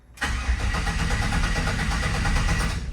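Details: 1967 Chevrolet C10 after a transmission swap: starter turns the engine over at a steady, even chug for three seconds but it never catches; crank, no start, owner suspects no voltage to injectors.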